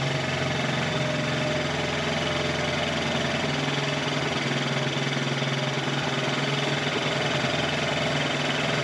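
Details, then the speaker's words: 1984 Honda TRX70 quad, small single, just started after years sitting in a barn, on chainsaw gas: steady fast buzz with busy rattly top end, idle set too high; owner adjusting air mixture, smells slightly rich. "I've been a little hot. Let's see if we can fix that. I'm trying to adjust the air mixture just a little bit."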